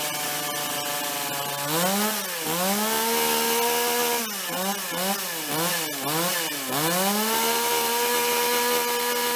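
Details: Toyama TCS46H two-stroke chainsaw cutting after carburetor cleaning and adjustment (previously started then flooded and died on throttle); L needle 1¼ turns, H 1½: high steady scream sagging on each cut and recovering cleanly, running well.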